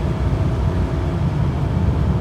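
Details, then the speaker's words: 1992 Toyota Crown Majesta (JZS149) on a road, accelerating from about 50 to 60 mph. Low, smooth drone climbs steadily with speed, with no ticks, knocks or roughness; a healthy six-cylinder pulling cleanly. "That's to 60. Absolutely nothing. When you hear the motor in a way that's pleasant, you don't really feel anything. Silky, silky smooth, like a sewing machine."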